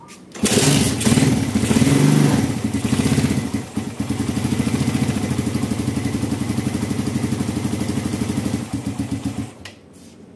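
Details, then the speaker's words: 2014 Satria FU carbureted single, bored up and with a seized kick starter, after carb cleaning and jets swapped to 40/120: it fires, revs briefly, then drops to a slow lumpy idle. Idle too low; the idle adjuster is bottomed out. "enggak bisa dinaikkan ya, mentok. Nanti kita customkan."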